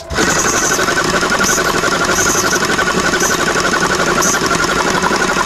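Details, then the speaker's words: Tuxing mini compressor under low-pressure troubleshooting, running during a check-valve test: fast, even pump chatter with no faltering or hissing. This check valve tests good; the fault lies at another check valve, with stage 1 still at low pressure. "Ini bagus. Ya. Untuk cek valve di sini atau di sini, ini bagus."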